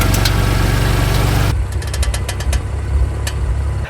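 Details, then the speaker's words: BMW M3 F80: sharp, irregular clicks over an idling engine as the front wheels are turned, from a loose front strut top mount; tightening the top nut does not fix it, a pinch bolt does. "if your bmw suffers from the following clicking noise when turning the front wheels"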